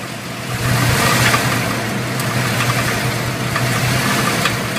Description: New crate motor about 2000 miles. Is this a rod knock?